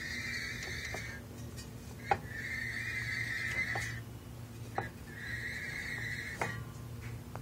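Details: Silverado 460LE transmission: three high, steady squeals, one per slow turn of the driveshaft, with light clicks and knocks between, whining only when turned counterclockwise (drive direction), silent clockwise (reverse).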